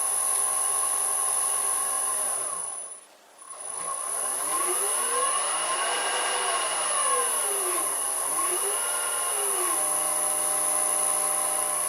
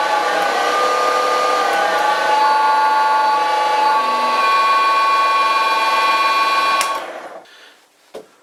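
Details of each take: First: Vintage Karger lathe motor on new small Chinese Banggood AT1-0750X VFD replacing dead Allen-Bradley drive: smooth, quiet hum gliding up and down in pitch with speed changes, faint steady high whistle; runs healthy and quieter than old drive. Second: Loud, steady high-pitched whine with stacked harmonic tones, then winds down and fades after about seven seconds; noisy motor drive.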